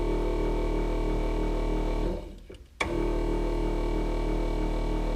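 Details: Electric turbo oil scavenge pump at front of car wired direct to battery, engine idling; constant electric hum and fast buzz audible under the idle, annoying despite silencing efforts.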